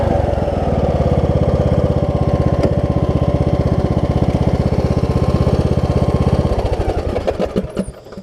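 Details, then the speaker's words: Craftsman T2200 riding mower, Briggs engine, after Nikki carb cleaned of gel deposits and new exhaust gasket: strong steady putter, clean wind-down at shutoff, slight exhaust-leak sound, no surging; normal running. "it's even on shutoff it sounds like it's got an exhaust leak or something but it is much quieter after i put that new exhaust gasket on"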